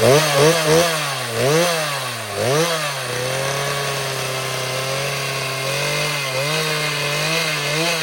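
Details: Chainsaw cranked after two years unused and a cleanup and tune-up: it blips up and down, then holds a steady even buzz with clean firing and no stumbling. It runs healthy.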